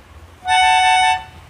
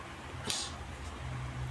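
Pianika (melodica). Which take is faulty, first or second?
first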